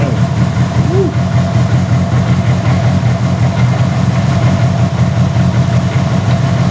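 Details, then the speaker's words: Mitsubishi Evo 8 making about 800whp, with GSE S3 cams, running after the rear differential with a sheared pinion gear was replaced: a steady, even rumble with a smooth low beat and no knocks or rattles. "That sounds nice. It's alive. Yeah, it's alive."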